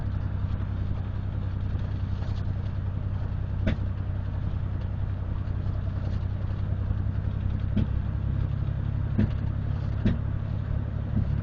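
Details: 1997 Dodge Ram 1500 3.9 V6 with 200K+ miles, driven with throttle floored and lifted, up to fifth gear near 50, with P0300/P0302/P0303 codes: deep drone broken by irregular pops from misfiring cylinder 3; owner considers fuel pump, filter and injectors.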